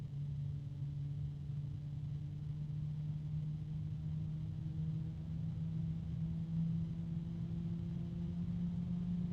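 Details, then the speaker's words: Computer case fan, lit up during a sound test at very low speed: a steady low droning hum with a few tones that creep slightly upward; a harmonic resonance, and something is suspected to be rubbing, heard only at very low speed. "something is rubbing I don't know if you can you hear that it's only at very low speed there's a harmonic resonance"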